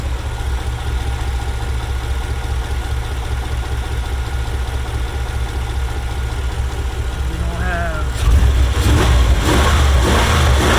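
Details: 1994 Chevrolet Caprice Classic idling after a crank-no-start was fixed by replacing the fuel pump and a broken fuel line: a steady, even low idle with no misses. A leak underneath apparently stopped once the hoses were tightened, and fuel pressure holds at 30 after shutoff.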